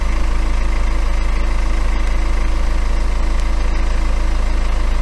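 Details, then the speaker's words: BMW N47 diesel at idle after a new timing chain was fitted. It gives an even idle with steady pulses and no chain rattle or slap; it sounds healthy and the fault is fixed. "look at that much much better so this is what good looks like"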